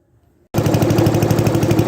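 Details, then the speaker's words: MTD 12/38 lawn tractor, small single-cylinder engine, after replacing the torn valve cover gasket with a homemade one: catches after a pause and settles into a steady, even putter; runs normally, no oil coming out. "so far so good I don't see any oil coming out of it"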